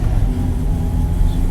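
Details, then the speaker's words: Freshly rebuilt Honda D16ZC on first drive in the evening, driven normally with load and deceleration to seat rings: steady low even engine drone under road noise, no knocks or misses; running well. "C is running quite good and you don't have to ever baby the motor when you're running with you know fully build or initially driven"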